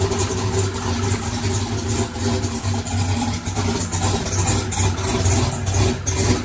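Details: Chevrolet single-turbo race car running after electric primer pump added to mechanical fuel pump; deep, strong, steady note, firm low rumble, no misses or knocks — normal running.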